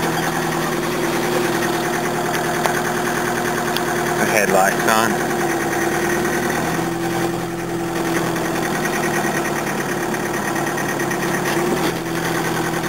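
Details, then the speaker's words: 1981 Toyota diesel at idle, a problem since running on biofuel months ago: harsh, uneven clatter of about three knocks a second. The low-flash-point fuel is detonating instead of combusting; the injection pump is probably damaged. "this stuff's detonating instead of combusting and that's why the engine sounds like it's going to blow itself to Pieces"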